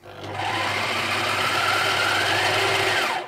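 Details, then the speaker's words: Bernina Record 830 sewing machine running with a harsh, rasping hiss and thin rubbing squeal only when the bobbin winder is engaged; noisy bobbin winder, fixable by replacing the winder. "and if it sounds like this one, yeah, it's quite a harsh noise coming from the bobbin winder there."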